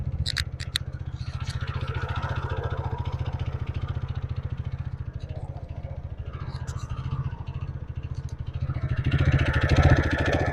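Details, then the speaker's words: TVS Ntorq BS6 scooter, cold start in cold weather with the ECU-controlled automatic choke raising engine speed, which slowly drops back to normal: steady, quick single-cylinder putter with even beats and no knocks; a normal cold fast idle. "जैसा कि आप अब देख सकते हैं, यह काफी तेज गति से चल रहा है।"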